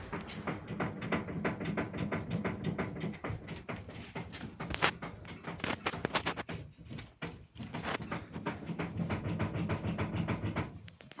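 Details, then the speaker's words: Irregular dull knocks and clicks from the centre of the steering rack of a 2005 Mazda 3 1.6 as the steering wheel is jerked back and forth. "Стук с рулевой рейки с середины."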